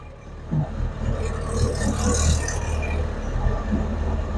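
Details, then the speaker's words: Gen 3 Alfa Romeo Spider Graduate, towed in as a no-start caused by a wrongly installed flywheel, run after the repair via the starter: engine catches and settles into an even low rumble with no knocks or misses, running normally. "Well, there you have it. First time this thing's ran in a very long time."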